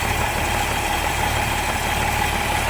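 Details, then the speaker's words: Toyota FJ40 Land Cruiser, carbureted, after sitting and being stalled in a ditch, choke just eased off: steady even idle with smooth low drone, no misses or knocks; running clean. "There she goes, idling, choke off. Awesome."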